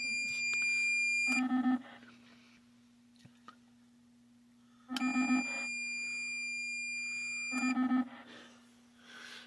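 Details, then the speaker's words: XR-1/XT-1 digital supervised transmitter and receiver set, transmitting 10 watts on channel 23: short bursts of a steady high warbling tone with a constant low hum. This is the normal supervised transmitter signal. "So, you can hear the noise on uh channel 23."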